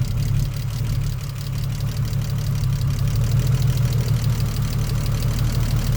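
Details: BMW E46 330ci after sitting six years, stalling, lean code: uneven, lumpy low idle with a loose pulsing beat and no clear knock. Rough idle, MAF swapped to test; cause suspected, not confirmed (MAF, idle control valve).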